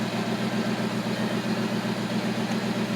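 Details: 1980 Lincoln Continental V8 idling after an ignition tune-up (new coil and starter solenoid) that fixed a no-start; battery possibly weak. Smooth, even idle, steady low pulse about four beats a second, no misses or knocks; healthy idle.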